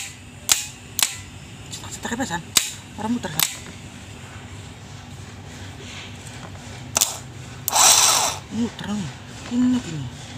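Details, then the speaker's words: Starter motor from a KIA Travello that cranked heavily, bench-tested off the car after replacing the worn starter switch: sharp solenoid click then a short, clean whirring spin with no grinding or dragging; starter works normally. "setelah kita ganti part yang rusak dengan part yang baru sebelum dipasang kembali di mobil sebaiknya kita coba terlebih dahulu di luar supaya menghindari dari hal-hal yang tidak diinginkan"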